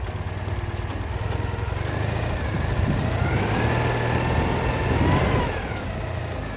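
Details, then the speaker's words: Citroën 2CV flat-twin after tappet adjustment, new engine mounts, new points and timing set: a low, steady putter at even idle with no misses or tapping, partly masked by music. Ticking over beautifully. "Ticking over beautifully."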